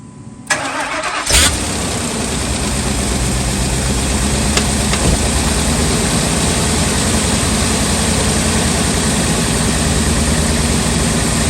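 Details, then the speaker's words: 2000 Ford F250 with 5.4 2V V8 on a cold start: it cranks and catches, then settles into an uneven, hunting idle with a loping beat; the idle air control valve is having issues, with a cleaning fix to be tried. "the idea I control valve was having issues on this vehicle there it is right here so we're going to try a quick fix today guys"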